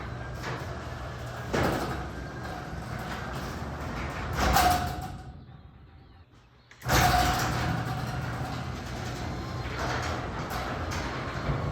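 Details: Garage door after installing Green Hinge System and DURA-LIFT nylon bearing rollers: rolls with a low steady hum and soft rumble, only light clicks at panel joints; quiet normal operation.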